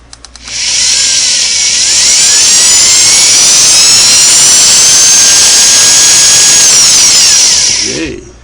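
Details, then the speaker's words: Vintage Singer sewing machine after replacing the internal motor belt, run to check belt tension: smooth high-pitched hum that winds up, holds steady at high rpm and winds down without labouring; motor and belt running properly. "I want to hear it run and and I want to hear it smooth no stress and that I can run the motor at a high rpm"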